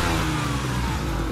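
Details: Engine started and revved after Seafoam was drawn in through the PCV hose: loud raspy blat over the exhaust note, with smoke visibly escaping from a hole in the exhaust. Exhaust leak.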